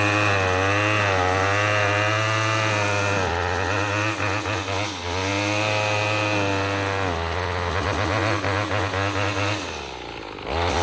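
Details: Troy-Bilt TB22EC two-stroke string trimmer, after replacing an old primer bulb to fix a no-start from sitting: steady high full-throttle buzz, dipping briefly under cutting load and recovering cleanly.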